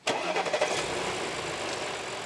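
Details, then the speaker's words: 2013 Audi A6 C7, 136,000 km, after oil separator replacement: engine cranks and catches quickly, then settles into an even idle; the loud whistle from under the hood is gone, fixed by replacing the oil separator. "звук ушел как вы заметили его нет пола ужасного звука трубы вначале проблему решили заменой масла делителя"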